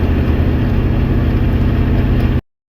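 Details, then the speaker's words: IDI diesel truck with ZF5 manual gearbox, driving on a long trip: steady low drivetrain drone with a faint repeating whir under load. Noise began partway through the trip and worsened; owner is fairly sure the ZF5 input shaft bearing failed. "So what you just heard, I'm pretty sure, is the input shaft bearing went out on the ZF5. It started making quite a bit of noise about halfway through the trip."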